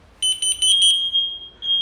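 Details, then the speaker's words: New smoke detector tested with smoke, old one at far end still sounding strongly; a few quick high-pitched chirps then steady piercing shrill tone in quiet room; alarming properly. "Şimdi bu yeni aldığımız dedektörlü bund da böyle ötüyor diğer koyduğumuz arkadaşlar şuraya Eee dip tarafa koyduğumuz o halen Eee şiddetli bir şekilde ötmeye devam ediyor"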